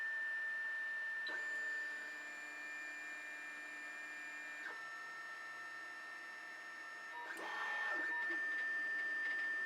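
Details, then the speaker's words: Anycubic i3 Mega-S 3D printer with fans replaced but stock stepper drivers, as a print starts: loud whining stepper tones changing pitch with each move over a steady high fan whine; loud stepper motor noise. "you can hear the machine operating probably right now just in general it is really loud stepper noise it's a little radley so we have a few other things to fix other than fans"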